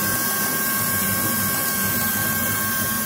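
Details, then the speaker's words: Rough V8 idle on a Ford F-250 that misfires and shakes, hood open: steady high-pitched hiss like a pressure cooker, air sucking through a leak near cylinders 5–8; vacuum leak found, to be traced by spraying carb cleaner. "ahí tenemos una fuga de aire amigos"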